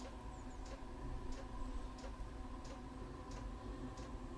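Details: Chinese diesel heater with a 6 m exhaust extension, which had sooted up and failed to start: crisp, evenly spaced dosing pump ticks roughly every two-thirds of a second over a quiet hum; pump delivering normally.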